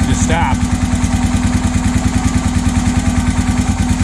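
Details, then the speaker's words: Honda 650 of unknown year, brought in not running, first start with aftermarket coil and ignition: loud regular clattering over lumpy idle at two or three per second; suspected crank or heavy piston slap, not confirmed; rattle later stopped. "look like something rling [Music] that don't sound good what the hell that's not good at all sounds like it's the crank the Piston's got a ton of slap oh"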